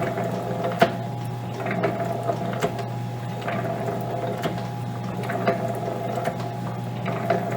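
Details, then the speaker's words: Lewis metal shaper, gearing lubricated with sticky weight oil, transfer gear at the back: steady low hum with a soft mechanical tick about every two seconds, no grinding or clatter; gearing appears in good shape. "Again, gear-wise, I think we're in good shape."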